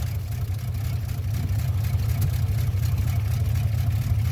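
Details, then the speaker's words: '57 Chevy on its first run in 3 months after a carburetor rebuild, idle raised: a deep, loose idle that wavers and stumbles before settling. The owner suspects it is running out of gas, not confirmed. "Kind of sounds like it's running out of gas, huh? Oh, it's finding it."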